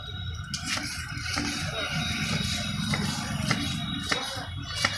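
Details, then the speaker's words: Motorcycle (BS6) front fork that a showroom twice failed to fix, pumped by hand: uneven dull knocks, about one to two a second; the fork is low on shock absorber oil, and the noise stopped after topping up. "देखिए दोस्तों, ये shock अब्जर्वर को भी हम चाप कर दिखाते हैं, ये भी साउंड हो रहा है बहुत जोर।"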